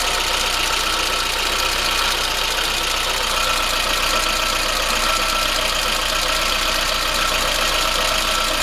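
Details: VAZ 21093 fuel-injected engine, cold idle: fast light ticking from the top of the engine that fades as it warms; owner suspects valve clearances needing adjustment, not confirmed.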